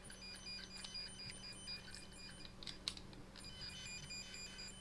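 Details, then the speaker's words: Dometic A/C troubleshooting, homemade 100 ft RJ11 extension cable checked with a tone tracer: a faint but steady low hum is heard at the far end. The signal gets through, so cable continuity is good. "turn this on to scan and then when you push this button this is sending a signal out that you can hear and then you can verify that on this other end"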